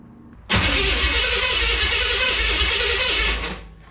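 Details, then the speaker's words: 5.0 V8 with Holley four-barrel and open long-tube headers, cranked on a jump pack without fuel: strong, even cranking for about three seconds with steady, quick compression beats and no misses; normal cranking, no firing. "sounds good now we need some fuel he said it did run when it was pulled in"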